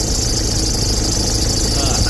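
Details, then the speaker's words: Ford Ranger MC diesel, 300,000 km, belt, pulleys and bearings never replaced, A/C on: loud rough running with constant rattly flutter from the belt side and tensioner shaking violently; alternator overrunning pulley failure. "ถือว่าอาการหนักเลยคันนี้หนักกว่าทุกคันที่เราเจอมาเสียงดังสนั่นหวั่นไหวเลยนะลูกรอกสั่นมีเจ้าเข้าเลยแล้วเสียงดังมาก"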